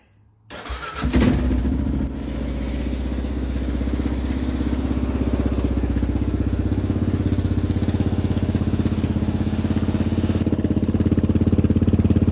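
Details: Kawasaki KLR650 single after spring maintenance (oil and filter change, new spark plug, cleaned air filter, new chain and sprockets, new rear tire, MIG-welded exhaust crack): fires up with a quick rev, then even steady idle thump; starts and runs cleanly.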